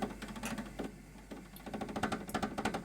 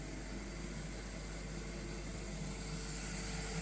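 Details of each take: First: Schaublin 102N-VM, first run after cleaning the drive system: the power feed and gearbox are stuck, with a rapid uneven clatter of about three knocks a second as the gears fail to engage; cause not yet known. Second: Schaublin 102N-VM lathe after cleaning of its drive system, first run. Steady, even hum from the motor and spindle drive with no knocks or grinding; the spindle runs normally, though the power feed and gearbox are stuck and not engaging.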